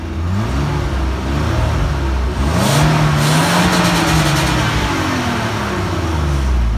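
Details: BMW E34 525i with M50B25 2.5 inline six with Vanos: engine revs up and settles back, a faint light ticking riding over the engine note; hydraulic lifter tapping.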